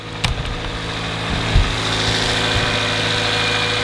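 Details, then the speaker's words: Cold start after fitting new spark plugs in an engine burning oil in all four cylinders: cold idle with a light irregular clacking over the engine hum, showing the engine is worn internally; engine clatter at idle. "what stocks are better than it did but you can hear the engine clacking"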